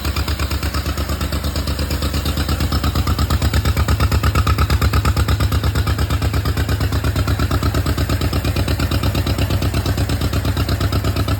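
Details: John Deere Model M running after at least 15 years sitting in the woods, with fresh oil change and a rewired generator lead. Steady, even low-pitched putt at about three beats a second, no knocks or misses; smooth normal idle.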